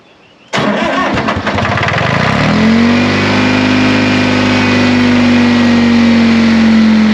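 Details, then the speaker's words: 1960 John Deere 440 backhoe, supercharged 2-53 Detroit two-stroke diesel, frozen after sitting for years: cranks, catches, climbs to a steady even drone with blower whine; good oil pressure, runs healthy, normal running. "it is a runner it sounds awesome we've got good oil pressure it's pumping through here"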